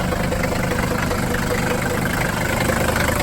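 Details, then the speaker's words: 1981 Mercedes W123 300CD diesel coupe, unstarted 4+ years: loud rattly uneven idle clatter, shaking a lot; owner suspects it probably needs new motor mounts and loose panels rattling. "Probably needs new motor mounts too. It's shaking a lot, but then again it hasn't been ran in over 4 years."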